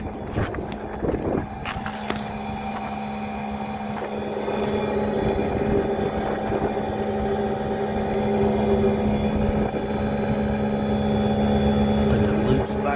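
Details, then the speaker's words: Bryant rooftop package HVAC unit on a no-heat call, with the VFD-driven blower ramped to high speed: it settles into a steady droning hum with a rough undertone. The blower sounds abnormal and the cause is unclear. "i don't like the way the blower sounds but that's a whole nother issue"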